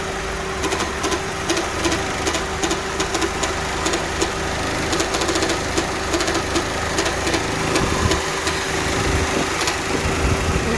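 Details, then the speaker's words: Honda idling with a steady whine and scattered ticking from worn power steering pump bearings; pump not pumping enough fluid, steering hard and won't assist turning left, pump to be replaced. "you can clearly hear the bearings even though you push the steering uh you turn this turn to the left the pump is not helping the steering so the pump is not pumping enough fluid"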